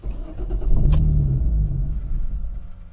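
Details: Jaguar X-Type with a no-start fault: engine catches, runs roughly a couple of seconds, then revs sag and it dies; owner strongly suspects a weak fuel pump, wiring still to be checked.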